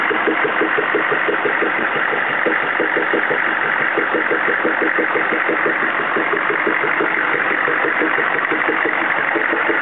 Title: CUCV-II 6.5L engine popping noise